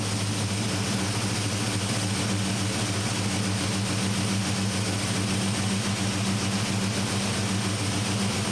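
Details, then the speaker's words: 1972 Chevy C10 carbureted engine with a newly installed Carb Cheater, running rich at AFR 10: with auto-tune on, a steady raised idle with a faint hiss as its valve bleeds in air. "I don't know what any of this means, but you can definitely hear that the truck is idled up. Okay, so I'm assuming the vacuum noise is actually this valve bleeding off air."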